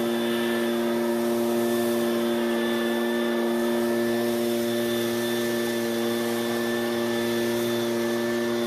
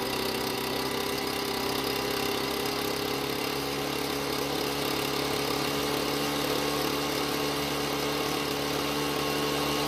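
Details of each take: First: Ryobi two-stroke backpack blower after H screw turned counterclockwise to richen the carburetor: high, steady whine at one even pitch at full throttle, slightly lower speed but much smoother than before; runs normally. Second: Ryobi backpack blower two-stroke, fresh premix, warmed up: steady high buzz never reaching crisp full-speed pitch, slightly ragged; lean carburetor mixture.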